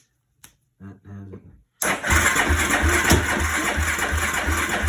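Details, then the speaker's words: 2004 Yamaha YFZ450 quad with broken and cut wiring, a module wire temporarily jumped: starter cranks evenly about three turns a second but never catches; weak spark, and a weak battery is suspected. Cranks but won't start. "so it sounds like it wants to kick over it sparks we check the spark it's not really good but it does spark so i don't know if it's just the weak battery"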